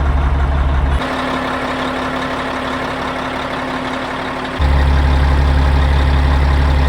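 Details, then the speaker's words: Caterpillar 3406E diesel from D350E Series 2 haul truck, test run, a little warm: deep steady idle, no knocks or misses; held good oil pressure, no bad blow-by, though oil leaking at rear; runs good. "it's held good oil pressure the whole time it sounds good it runs good I think that's good enough for me"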